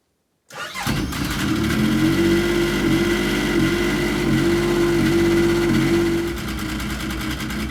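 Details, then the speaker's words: Yamaha RS Viking snowmobile after a carb clean: it catches instantly on 1/3 choke, picks up to a steady, even run within a second, then settles slightly lower. This is a normal start, with no waiting for it to adjust. "So how that just started, that's how it's supposed to start. No waiting for anything to adjust or think about itself. 1/3 choke, bang, it should just start."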